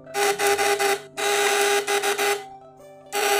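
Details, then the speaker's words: Homemade platina (contact-breaker) primer-type fish shocker, coil wound with 1.8 mm wire in 5 layers: a light, steady electric buzz in short on-off bursts, not heavy. A heavy sound would mean the coil spec is too weak. The breaker stays cool, so operation is normal. "setrum itu saya usahakan suaranya jangan berat, karena jika dia berat itu tandanya kekuatan dan spek gulungnya itu tidak mampu."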